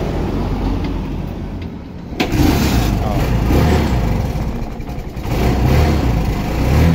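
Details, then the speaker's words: Turbocharged engine, ignition key wiring redone elsewhere with fuses reportedly blowing, wired direct; short crank then catches first try ("one click"), settling into a steady low even idle with light revving, clean start. "Yan o, one click. Yun lang nagpapagana dyan, yung turbocharge natin."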